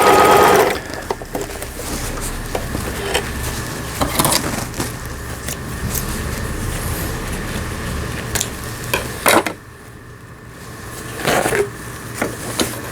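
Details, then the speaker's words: Juki HZL-27Z compact home sewing machine after repair of feed regulation cam damage from thick fabric: reverse stitching test, quick even needle chatter in short runs with light clicks, no grinding or binding; normal stitching. "지그재그 바느질이 지그재그 바느질이 정상적으로 되면 나머지 기능들은 정상적으로 박음질이 되는 겁니다."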